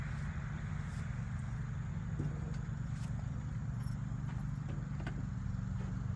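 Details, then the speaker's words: 1981 Jeep CJ7 sat over 12 years, first start after plugs reinstalled and timing set: low steady six-cylinder idle with faint uneven puffing tick; exhaust leak seen down at the little junction. "and uh kind of sounds like it has an exhaust thing too up here yeah I can see it down by the little Junction right there it's got an exhaust"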